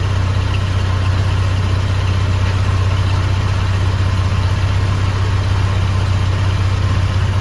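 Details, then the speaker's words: 1987 Dodge Ram 50 idling after its rotted muffler was replaced with a new muffler, an extension pipe and a 2-inch clamp: smooth, steady low rumble with no rattles, puffs or hissing leaks; a healthy, sealed exhaust. "See, that's how an exhaust is supposed to sound. It's not bad. It's not furious. It's just here to quietly do the work."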